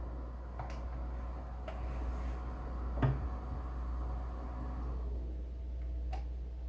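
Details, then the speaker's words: FX-based desktop PC that stopped working after being moved, hard drive at power-on: sharp isolated clicks every second or two, drive no longer spinning; failing hard drive click of death, data unrecoverable, fixed by replacement drive and fresh Windows install. "and it's not even spinning no more now for a second you could hear it just go bang bang bang"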